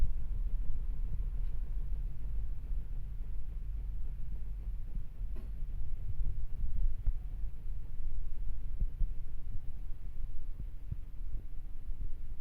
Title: not well leveled/unbalanced machine vibrating and making noise on spin.... solution adjust the feet.